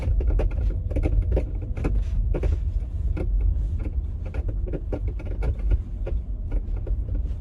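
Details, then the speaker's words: 2023 Genesis GV60 driving in cold weather (about 46°F, Alabama), before the fix: irregular light ticks and clicks from the rear over road rumble as the flexing hatch makes its alignment tabs rub against the body, a rubbing and clicking noise. "that hatch is flexing or moving around and it's causing that noise it's causing them to rub up against each other making that I guess rubbing clicking whatever noise"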